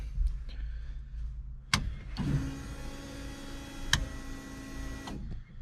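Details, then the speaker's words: LS7 V8 S14 competition car after about 3 months sitting, ignition restored once the kill switch was turned on: steady electric whir for about three seconds, cutting off cleanly; fuel pumps priming normally. "Fuel pumps still work. Alright, that all seems pretty tickety-boo, so happy with that."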